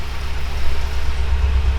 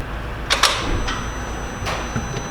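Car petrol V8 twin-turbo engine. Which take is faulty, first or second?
first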